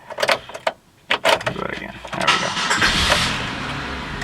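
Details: Chevrolet Monte Carlo used-car inspection, check engine light on: brief starter whir, engine catches almost immediately and settles into a smooth rising run; quick start with no long cranking.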